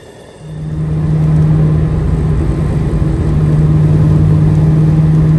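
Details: Ford Mustang Bullitt after replacing starter that stuck and dragged on the flywheel: engine catches quickly with no starter grind, then steady, even idle hum; starter engaging and releasing properly.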